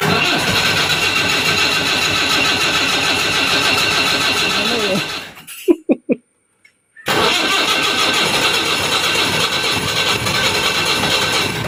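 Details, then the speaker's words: Diesel jeep that ran out of fuel, refilled, cranked in neutral: long rough churning with no catch, pause with a few clicks, more cranking; won't start after running dry. "Diesel ഒഴിച്ചു, വണ്ടി സ്റ്റാർട്ടാവുന്നില്ല. അപ്പം ന്യൂട്രലിട്ട് സ്റ്റാർട്ടാക്കി നോക്കിയിട്ടൊന്നും സ്റ്റാർട്ടാവുന്നില്ല."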